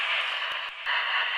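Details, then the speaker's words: GE Help! CB radio kit powered from a bench supply via clip leads, on channel 4 with antenna in a cellar: steady receiver hiss with a couple of brief dropouts; receiver working normally. "Sounds like it's working. And of course we're on channel 4 there. And I don't expect to hear much of anything on this with my antenna down here in the cellar."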